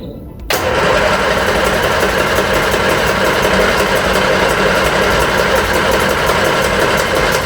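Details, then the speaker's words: Reliant Regal Supervan 3 with a petrol engine refitted after years as an electric, first start attempt: starter churns steadily and unevenly for several seconds, strong fuel smell, never catches. No spark, traced to loose coil connections. "no okay we're going to do a little bit of investigation find out if we've actually got spark"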